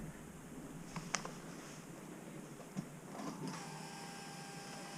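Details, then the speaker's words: Subaru WRX with a hybrid EJ 2.0/2.5 engine, pre-first-start, after loading the map: faint clicks then a thin steady hum as the fuel pump primes at key-on. "you can hear the fuel pump priming I'm going to cycle the key a couple [Music] times"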